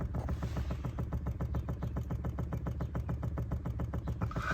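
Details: Chevy Bolt electric brake booster (I-Booster) clicking heard under the brake pedal in the cabin: fast, even clicking about eight a second, intermittent; control module fault fixed by software update per Service Bulletin 20-NA-170 under warranty.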